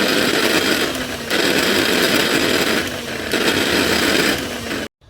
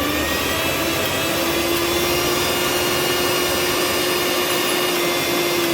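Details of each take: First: Mixer grinder brought in for coupling replacement: loud harsh high-pitched roar with grinding edge surging every couple of seconds; worn motor bush, needs bush replacement. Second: Mixer grinder after bush (bushing) replacement: steady high whirring hum, even pitch, no grinding or rattling; motor runs smoothly.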